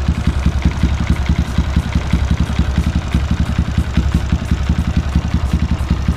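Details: LC135 with Swipoh 19/22 superhead and spec 63 cam: steady single-cylinder idle with a light, regular tick on each beat, louder by ear than on the mic; owner checked locking and suspects the block or cam chain, unconfirmed.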